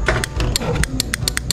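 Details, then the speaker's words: Yamaha NMAX v1 scooter troubleshooting, battery and fuses already checked good: key on and start pressed, quick crisp clicks about five or six a second over a low rumble; starter relay switching normally. "So goods ang relay nun, pipitik-pitik yung relay."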